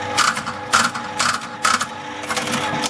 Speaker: Do you hear how it sort of clunk, clunk, clunk?